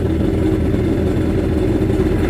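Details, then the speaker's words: Yamaha Waverunner 800 two-stroke, freshly installed engine, first start on the stand after fueling: low, busy idle holding steady but slightly rich and muddy; loading up a little at idle. "So I put some fuel in it. We're about to put this baby in the water. Sounds like it's loading up just a little."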